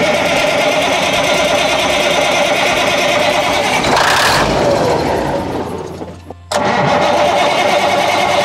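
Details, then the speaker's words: 1981 GMC cabover Big Cam diesel: long steady cranking at about four beats a second with ether that never catches, then the starter drops off; suspected out of fuel on that tank's side. "i wonder if it run out of fuel all the way on that side i bet it did dude seriously let's put some fuel in and try that"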